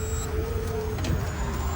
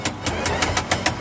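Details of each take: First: Electric four-wheeler, about a year old, after fixing a motor-area noise during driving (suspected differential bearing or gear damage), reassembled with engine oil instead of gear oil in the differential: low, smooth rolling rumble, no clicks or grinding; drive sounds healthy. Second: Electric four-wheel vehicle about a year old, noise near the motor while driving; wheel jacked up, no-load spin gives sharp evenly spaced knocks about seven per second, same on both sides; suspected damaged bearing or gear in motor or differential, not confirmed.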